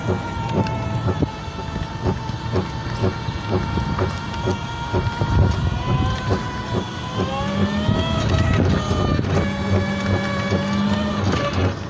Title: Scooter grinding noise